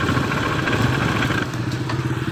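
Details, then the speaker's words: Honda Beat ESP 2015–2016 scooter revving: smooth at idle but a coarse, gritty drone at higher throttle. The CVT was opened and the variator rollers were found shattered, causing the roughness. "dengan keluhan bunyinya kasar adanya baik kita dengerin bersama-sama ya suaranya bagaimana dia kalau di langsam sih nggak berasa tapi kalau gas berada di petot rasa kasar tuh"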